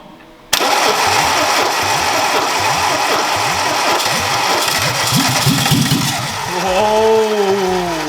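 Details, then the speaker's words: Peugeot 309 GTI not started for 22 years, with petrol dabbed at the spark plug: steady starter cranking about three beats a second that never catches. Cranks but won't start; the cause is not identified. "we've come to the conclusion he's not gonna run today so we'll be back back to fight another day"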